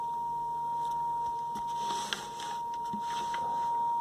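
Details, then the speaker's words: Vintage Lloyds stereo 8M36W-07A full-range speaker with a taped cone splice, on the test bench after passing the splice: clean, steady mid-pitched tone with no break; speaker plays normally. "alright so thankfully getting past the splice we hear that there's a tone there"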